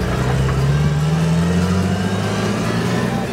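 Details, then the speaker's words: Datsun Roadster under way after the distributor rotor had slipped off. The note rises steadily and smoothly under load with no misses or stumbles; it sounds better than before and is running normally. "sounds good better than it was timing is quite a bit uh"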